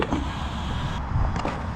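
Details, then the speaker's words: Traxxas Sledge RC truck with cheap alloy parts, new pinion, after one race: rough, uneven gear noise under motor drive with no clean whine, teeth skipping; stripped pinion with teeth missing, slipping on the spur gear. "That sounds pinion and spur. There's teeth off this pinion."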